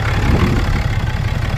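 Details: 2018 Cummins 6.7 diesel after fuel filter change and priming: low steady idle rumble, even beat, no missing or hunting; air purged, running normally.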